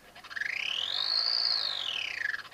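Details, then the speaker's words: Sky-Watcher AZ-GTi mount, stiff with guiding degraded to 1.6–2.0", RA axis test-slewing during its rebuild: high motor whine sweeping up then down with a rough fluttering edge; abnormal drive noise, cause unknown. "sound right at all. So something's quite amiss there, so we all shall take the cover off and see if we can see what's going on."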